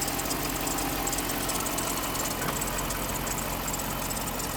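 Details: 2011 Jeep Grand Cherokee 5.7 V8 at idle with a faint high chirp/squeak from the engine bay; source not pinned down, cause suspected, not confirmed.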